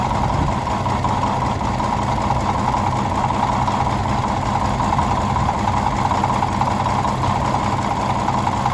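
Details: 1951 D8 2U dozer that sat in a barn since about 1990, big diesel motor running after first start; deep steady rumble with a loose, even beat and no knocks or misses, running evenly.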